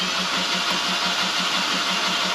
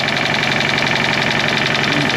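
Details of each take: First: Fiat 500 TwinAir with a fresh replacement engine, oil light on, spark plugs out and fuel pump relay removed: cranked in short bursts with an even starter whir, quick regular pulses and no firing, to build oil pressure. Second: Fiat 500 TwinAir replacement engine on its first idle after fixing low oil pressure, no leaks. Steady, slightly clattery twin-cylinder idle with even pulses; owner says TwinAirs sound clunky and all over the place. Normal idle.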